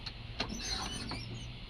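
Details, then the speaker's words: 1966 Chevy truck wipers, run with alligator-clip jumper wires at the fuse with ignition on, tested on low and high; quiet electric whir with soft clunks as the arms sweep, even and unbroken, wiper motor working normally. "okay that's low and that's high [Music] they're working"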